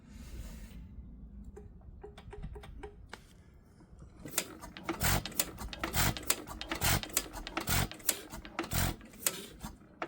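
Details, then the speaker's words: 100+ year old Amanco stationary engine, cold start attempt: uneven clicks and taps about once a second as it turns over without catching; cranking, no start, owner suspects flooding or a mag issue. "Let's see if she'll fire up. Nope. Let's go in with that knob in case we're flooded the old girl."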